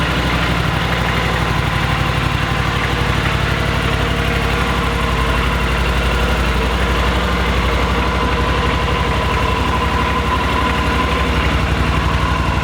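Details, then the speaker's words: Yamaha Super Tenere inline-two (parallel twin) motorcycle: slow, lumpy but even idle pulse at about four beats a second with a deep exhaust note. Healthy normal idle. "it sounds pretty good you know like when it's idling and stuff it doesn't sound good at all because it's an inline two"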